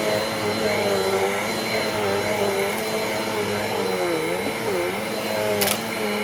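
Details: Eureka Airspeed upright vacuum, a cheap curb find, after clearing a clog and fix-up: steady, even motor whine with constant pitch, no rattles or surging; vacuum running healthy.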